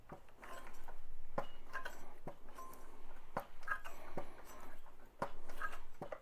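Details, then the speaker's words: Solex (Cyclogalet) moped engine needing choke half on due to an air leak: sharp metallic clacks as the magneto flywheel is pulled by hand, from a crankshaft bearing loose in its seat, causing the air leak; bearing needs replacing. "je pense que c'est assez évident ça veut tout simplement dire que le roulement de vilbrequin il est décollé et donc bien sûr qu'il y a une prise d'air à ce niveau-là assez importante"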